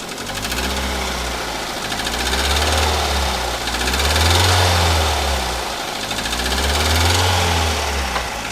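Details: Daihatsu Xenia 1300 cc XI whose engine ran out of oil through an unrepaired leak about 10 days after an oil change: revving brings a harsh metallic knock that swells with engine speed; badly damaged engine needing teardown.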